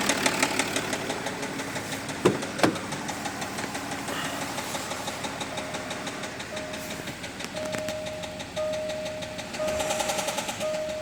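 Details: Jaguar XF S 3.0 V6 diesel (275) idling with a steady ticking knock about three times a second over the diesel clatter and a faint whistle; engine knocking noise, source undetermined, reported resolved.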